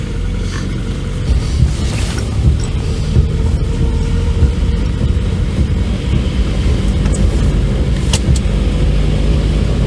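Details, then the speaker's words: Abandoned VW Scirocco Storm, first drive in years after revival: low road rumble with scattered speed-related knocks from the rear, which sound like wheel bolts clipping the rear brake parts. "got something knocking sounds like wheel bolts clipping brake parts definitely speed related"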